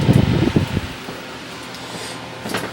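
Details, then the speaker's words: Vintage small later-model Bersted electric fan on original cord, just plugged in: brief knock then soft even low hum, no rattle or scrape; runs quietly, though rattling expected after about 30 minutes from worn bearings. "as you can see it's running very quietly now"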